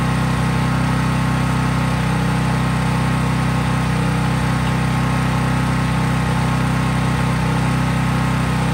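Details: Craftsman 5000 W portable generator, cold-started, run up to full speed with only an LED bulb plugged in, so no load; steady, even drone with no surging or hunting. Normal, healthy no-load running.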